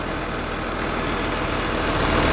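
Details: 3588 tractor with a freshly rebuilt diesel and tight new hood: even, steady idle with a smooth low rumble and no knocks or rattles, rising gently near the end. Healthy normal idle.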